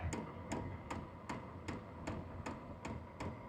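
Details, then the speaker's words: H-Calory diesel heater with its original fuel dosing pump at power level 3: sharp, even ticks about 2.5 per second over a low hum. Ticking gets faster at higher levels and is loud, and the exhaust noise is also audible. "This is level 3. And the faster the higher up in the level you go, the faster it's going to make that ticking noise."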